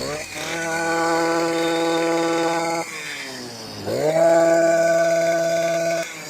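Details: STIHL KM 56 RC-TC Kombi two-stroke after full teardown, worn parts replaced and bad fuel cleaned out: high buzz holds steady, cuts out, then restarts straight away and settles to an even run; healthy.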